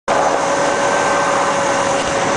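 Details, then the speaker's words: 1987 Mercedes 300 SEL, six-cylinder, about 130 mileage, starts right up: even, steady idle with a constant mild whine, no knocks, misses or surging; engine healthy, transmission bad. "1987 Mercedes you can hear it run here it's a six cylinder motor sounds good"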